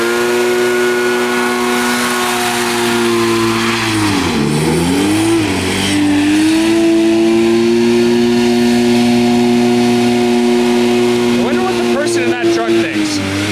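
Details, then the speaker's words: 1986 Scat hovercraft two-stroke engine running under load after a change of fuel mix (previously 50:1): the strained high revs drop sharply in pitch, recover, then turn ragged and sputtering. Owners wondered about fueling or running out of gas; the engine seized. "I'm not sure why but the engine is seizing up the engine seized up"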